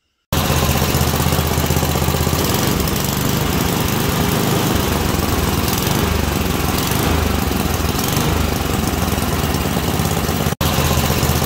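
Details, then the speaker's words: Small engine with an adjustable carburetor, properly adjusted: a steady, even drone with no snaps, pops or bogging. It responds cleanly when revved up and dropped down, so it runs normally. "right so there you have it that's uh engine that's adjusted properly um yeah you can just hear there's no snaps or pops no bogging"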